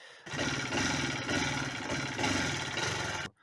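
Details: Alpha moped two-stroke that will not rev and stalls; owner replaced wiring checks, coils and generators without success: buzzes at a steady, uneven speed and never climbs, bogging instead; cause unconfirmed.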